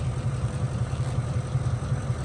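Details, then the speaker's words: Ford F-150 with intermittent misfire, codes P0356 and P0351, cylinders 1 and 6: low uneven idle with lumpy stumbling beat; misfire on cylinder 1 persists after clearing codes, cause not yet found. "que lo limpio sigue el Miss fire en el uno ahí está ahí s Clear siguen el uno vamos a analizar el uno y ver qué es lo que está pasando"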